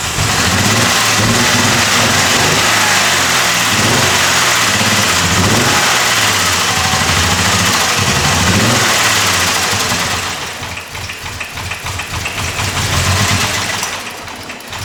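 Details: Jeep with a persistent cylinder 3 misfire after lower intake manifold replacement; it had died while driving. At start it runs lumpy and stumbling with surging revs, sets code P0300, and there is a strong gasoline smell.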